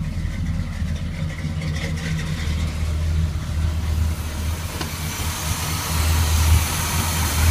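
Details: 1981 Chevrolet K10 V8 with Quadrajet carburetor, after fitting a heat dissipator against fuel boiling and a new throttle cable for binding, restarted after a long crank on an empty bowl: low, smooth, even burble, swells slightly with throttle, no stumble or hanging revs; healthy idle.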